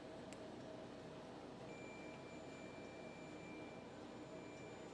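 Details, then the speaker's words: Multimeter in continuity mode, leads touched together while diagnosing a WPC Gilligan's Island pinball machine that won't boot: faint steady high beep holds about three seconds; meter's continuity test working. "so we'll take these and we'll touch them together and we should hear a little beep once again my leaves are a little wonky"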